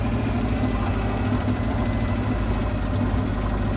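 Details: 1968 Plymouth Fury barn find with a 318 V8 and one-barrel carburetor, not run in over 20 years: steady, even V8 idle with a smooth low rumble and no stumble or miss.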